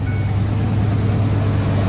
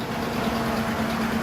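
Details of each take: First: 2005 Ford F-150 5.4L 3-valve Triton, first start after replacing the roller followers (a timing job was reportedly done 20,000 miles earlier): steady, even low hum with no ticking, valvetrain smooth and quiet on both sides; normal idle. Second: 2005 Ford F-150 5.4L 3-valve, timing job done 20,000 miles earlier, at rough idle with a loud fan. A tapping from the passenger-side valve train is loud on startup and constant afterwards. Failed or unreplaced roller followers suspected.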